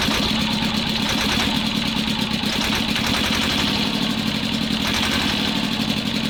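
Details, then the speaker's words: T-16 tractor diesel after owner adjusted a valve that was so tight it likely had no compression; uneven, stumbling beat with loose rattling clatter over idle; owner suspects the valve was sticking and he misadjusted it. "Сейчас после моей регулировки вот такая вот какая-то фигня. Слушайте, я не понимаю. Сейчас буду разбираться, но что-то не то."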